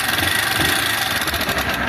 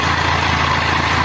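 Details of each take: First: 160 motorcycle at idle: a fine, rapid, high-pitched metallic rattle rather than a deep connecting-rod knock, diagnosed as worn cylinder and piston, possibly also worn rollers. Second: 160cc motorcycle after repair of an engine noise: the small single-cylinder idles with a smooth, steady beat and the noise is completely gone. The bike was leaking oil everywhere and the oil is being topped up.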